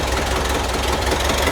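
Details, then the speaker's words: 1974 VW Bus flat-four just after installing dual Weber 34 ICT carburetors with electric fuel pump: starts right up into a steady low chuffing idle with even beat and no misses; runs healthy. "Fire it up, maybe, hopefully. And she runs. Just like that, that simple."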